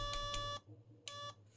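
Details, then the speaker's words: Homebrew 1979 dual 0-30V 0-1A linear bench power supply with an audible current alarm: clear high-pitched double beeps about three quarters of a second apart in a quiet room; the current-limit overload alarm sounding. "so if you're working around with your electronics and then suddenly you hear this beep beep oh something is probably overloading so that is probably what it's doing"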